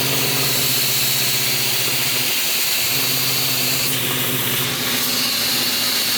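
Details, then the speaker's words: Honda VFR800 782cc V4 on first start with a universal Temu turbo fitted: an uneven, stumbling beat under loud hiss and whistle, with revs lifting to about 2k then sagging. Rough running; the owner suspects an airbox restriction or his own error, unconfirmed. "Okay. So, obviously the bike isn't running correctly. Could be my fault. I'm not sure yet."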